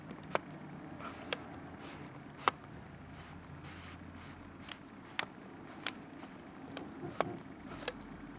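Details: Nikon 80-200 zoom lens clicking noise: sharp, dry clicks at irregular intervals, roughly one a second, over a faint low room hum.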